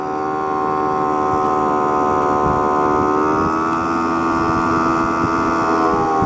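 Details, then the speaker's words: Honda Spree two-stroke moped riding at about 15 mph after its clogged exhaust was cleared, running smooth with a steady even drone and a small midway rise; the scooter wobbles badly and the carb still needs some work. "and that right there it's running smooth we're hit we're about 15 mile an hour right now"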